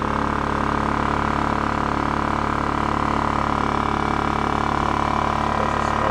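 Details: Scrapyard Honda EX650 generator on new fuel, leftover premix still burning out: steady, even hum with a firm low drone, no misses, surges or knocks. Running smoothly.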